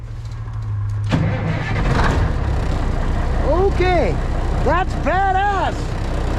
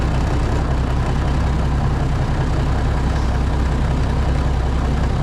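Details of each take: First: Diesel White Freightliner COE heavy wrecker in freezing weather after sitting outside, plugged in overnight and given one spray of ether. Brief cranking, then it catches and settles into a rough, low rumbling idle. A successful cold start. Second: White Freightliner COE heavy wrecker with an Eaton Fuller Road Ranger gearbox, cold start in freezing weather after sitting: deep, steady diesel rumble with an even beat and no knocks or misses; good oil pressure.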